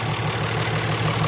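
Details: Diesel 6HH engine (210) with owner-reported lack of power, after injection pump tune: steady low idle with an even, unhurried beat, no misses or hunting; normal diesel idle.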